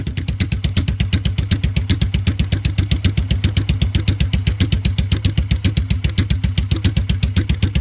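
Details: 1986 Yamaha XV750 Virago V-twin with debaffled stock straight pipes now fitted with homemade lollipop baffles to restore back pressure: deep, lumpy thump at about four beats a second, steady and even, throaty exhaust; healthy idle.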